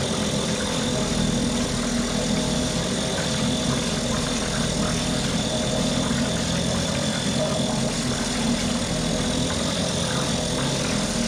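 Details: Mercury 2.5 hp two-stroke outboard after carburetor taken apart, soaked and cleaned; steady even buzz holding constant speed, no stumbling or surging: normal running.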